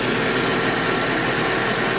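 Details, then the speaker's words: 1991 Mercedes 190E with the rear exhaust resonator removed, its baffle destroyed: a steady, even idle hum with dense hiss and no misses; it runs pretty well, though the owner is considering new injectors and seals. "it runs pretty good."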